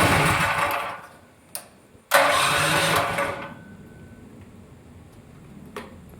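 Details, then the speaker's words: Go-kart with electric start, cold engine, choke not fully set up: two short cranking whirrs that die without catching; these engines need to be hot to start. "Like I said before, the choke is not 100% done. So when the motor is cold, it doesn't start right away because these motors, like I said before, they need to be hot in order for you to get it on."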